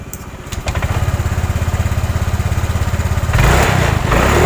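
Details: Honda Vario 125 fuel-injected scooter: even idle, then throttle snaps open and it stumbles and fails to climb cleanly; bogging.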